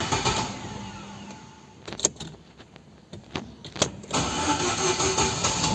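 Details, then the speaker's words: Celta cranking before starter repair: it never fails to start but turns slowly, and the owner reports heavy starts. Sluggish, laboured cranking under three beats a second before catching; slow starter from dry gears and worn brushes. "como você viu não falhou nenhuma vez porém está um pouco lenta e o dono relatou estar pesada"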